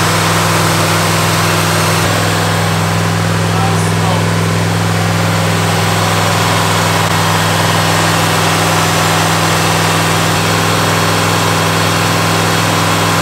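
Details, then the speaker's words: 1985 Pontiac Firebird Trans Am, crate Jegs 350 carbureted V8, mixture screws being tuned by ear: even steady idle with a settled low rumble, no stumble or misfire; running cleanly. "he's tuning it right now with those mixture screws and just literally listening to it no stumble no nothing"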